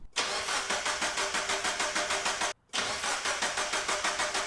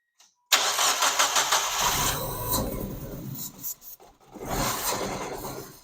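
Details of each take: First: Abandoned Mazda Miata, no key, factory immobilizer prevents starting: even starter beat at roughly three compression pulses a second with no grinding; the engine cranks normally and sounds healthy. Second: Mazda Miata bought abandoned, cranking with no fuel pump sound, fed starting fluid: catches roughly then stumbles and fades; fires only on starting fluid, fuel pump suspected dead, not confirmed.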